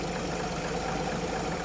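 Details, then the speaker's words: 1950 Chevy truck stovebolt six after new gaskets, spark plugs and a valve adjustment, choke turned fully off: steady, even idle with a smooth low rumble and no exhaust puffing or ticking; normal idle. "I'm going to try to turn the choke all the way off. Yep. Is it going to do it? I think it might. All right. It sounds so much better."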